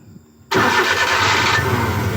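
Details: Suzuki F6A EFI engine with a hard-start and low-power complaint, tested after the original unit was refitted: quiet, then it catches on one click and settles into a steady, even idle with no check-engine light; normal start.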